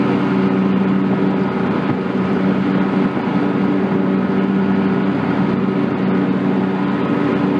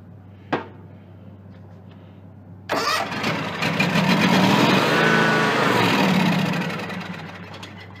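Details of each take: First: John Deere X300 rider with Kawasaki FH-series engine, 17 hours, after fixing a no-start/runs-and-dies fault from a stuck fuel shutoff solenoid; steady, even drone at good throttle with the clutch engaged, no misses or surging, running normally. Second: John Deere X300 rider, Kawasaki FH engine, 17 hours, brake cleaner in the intake, no choke: starter cranks, engine catches and surges briefly, then dies; needs carburetor work, cause a stuck fuel shut-off solenoid.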